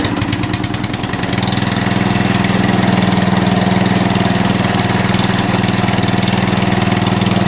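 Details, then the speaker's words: Atco Balmoral cylinder mower after the drive pulley was adjusted in: a few sharp ticks at start-up, then a steady, even engine beat with no chatter. The drive still works; owner thinks the belt may be the wrong one but it works. "there you go no chatter now so we'll tighten that up does the drive still work yep lovely any chattering"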